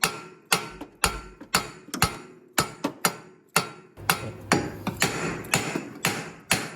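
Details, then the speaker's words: 2000 Acura Integra with a JDM B20B, engine off, wheel rocked by hand: sharp, irregular clunks about twice a second. The upper control arm bolts were left loose after a previous mechanic replaced the upper control arm. "So, that noise you guys are hearing is the upper control arm bolts."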